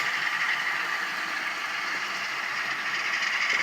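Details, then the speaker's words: Rebuilt Atlas Cotton Belt RSD-4/5 model locomotive with original decoder reinstalled: smooth, even high-pitched motor hum with a little light rattle and no sharp whine; earlier whine is gone, motor running healthy. "anyway that's going to do it for this project i've got it running really well now"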